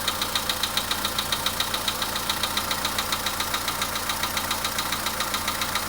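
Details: Volkswagen Polo Sedan at idle; sharp regular ticking knock about three and a half per second over steady idle, source unknown: engine knock.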